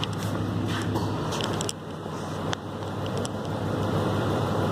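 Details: Triton at idle: a quiet idle with an uneven, stumbling beat as pulses drop out now and then; an engine misfire, with the noise located in one general area of the engine.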